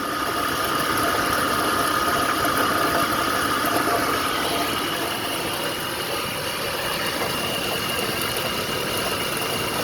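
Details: 2004 Dodge Ram 1500 SLT 5.7L Hemi at idle: steady thin constant whine over the engine with felt vibration, coming from the alternator.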